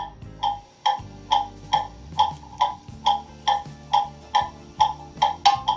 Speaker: and there it is that's in beat remember you need a good solid base to put your clock on so that vibrations don't do that to it